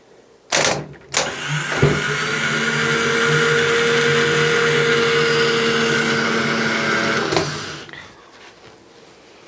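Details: Car starter motor on a bench test; clicks as the solenoid engages, then a steady high whirr holds about five seconds and winds down. Starter spins freely.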